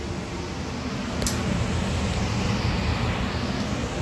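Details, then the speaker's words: Furnace blower after a service call, where noise began inside the furnace after a power outage and the motor was suspected. It now runs with a soft, steady rush of air and no humming: normal operation. "no humming sound yeah I'm going all right guys everything's rocking and rolling"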